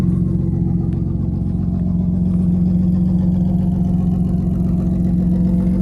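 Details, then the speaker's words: BMW E34 Touring after sitting ten years, engine swapped to manual transmission, E36 harness, differential swapped, first drive: steady even beat with smooth low drone, no knocks or misses; running and driving fine. Normal idle. "literally took it for the first spin it's running driving fine"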